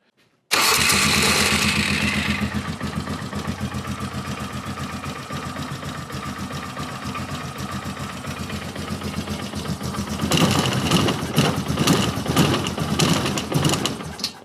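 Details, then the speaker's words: Polaris Sportsman 450 ATV on its quickly cleaned original Mikuni carb, slow circuit blown clear, slow-jet size unknown: starts to a lumpy idle without enricher, then stumbles and flutters instead of revving when blipped, even with enricher. Bogging, won't take throttle; cause unconfirmed. "Won't take any throttle. And I know that slow circuit's clear. Let's give it a little enricher. Yeah, she won't take any throttle."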